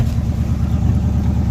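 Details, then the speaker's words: 1980 Chevy K10 just restarted cold after new starter, tank cleaning and fuel filter: deep, steady V8 burble held high on the choke's fast idle, which should drop once it builds heat; normal cold fast idle. "And it sounds like it's idling right high right now. It's got to build some heat up, and then it'll eventually quit with the fast idle."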